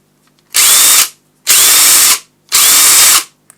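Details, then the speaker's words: Ryobi One+ impact driver bought as spares and repairs: three half-second bursts with steady high whir and rapid hammering; runs normally and sounds better than the brushed one. "sounds a lot better than the brush one don't know whether they're supposed to sound different or not but again both of them do their job"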